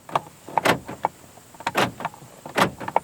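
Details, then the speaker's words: 2005 Toyota Camry used-car inspection, power door locks cycled from the switch: several sharp, quick, even clunks in short bursts; the lock actuators and window lockout are working normally. "you can tell they're working from that switch the window lockout is working"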